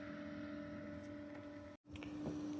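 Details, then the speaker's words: Brinkley RV under-bed box fan: quiet steady tonal drone with buzzing hum, the cheap fan directly screwed to wood transferring vibration harmonics into the coach; lessened when removed from the wood. "So, this is the fan, and you can hear the harmonics, and it actually is lessened when I removed the fan from the wood. So, what it's doing is it's transferring all the harmonics through the fan into the wood and into the coach and making it so I couldn't sleep."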